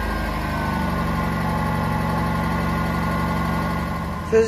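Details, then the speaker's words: 1996 Honda Civic daily driver at idle with the exhaust fitted: a low, rapid puffing chuff rides steadily on the engine note. It doesn't sound too bad, but an exhaust leak is clearly audible. "it doesn't sound too bad but you can definitely hear the exhaust leak but it's a neat little car"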